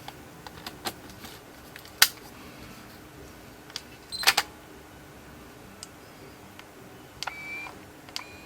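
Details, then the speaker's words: Nikon D90 DSLR with error and mirror stuck: faint brief motor whirrs after each shutter press with no shutter snap; shutter won't fire because the shutter-unit motor gear has cracked with age, gear replaced. "You can hear something It's a "woo woo" sound, like a motor turning"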